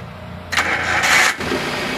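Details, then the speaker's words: 2008 Suzuki Carry Pickup 1.5 with good oil level and color: under a second of cranking, catches at once and settles into a smooth steady idle, no odd noises; rpm and temperature normal. "mesin starter langsung jreng ini suara stasioner suaranya masih halus ada suara aneh-aneh nggak ada sih aman ya"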